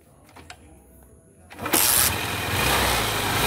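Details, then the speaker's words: Hero Honda Hunk motorcycle after tappet adjustment: catches on first crank and settles into an even, smooth idle with no valve ticking; valve train quiet. "ඔයගොල්ලන් කිසිම සද්දයක් නැහැ. ඉතලා කට සද්ද මුකුත් නැහැ. ඒකේ ස්මූත් අයිඩල් එකක් ගන්නට තියෙනවා."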